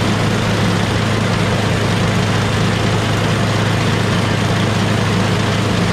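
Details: MTD Yardman 8.5HP 26-inch two-stage snowblower after cleaning the carburetor pilot jet, bowl and emulsion tube: engine holds a smooth, steady idle with no surging; the earlier surge was from the dirty carburetor.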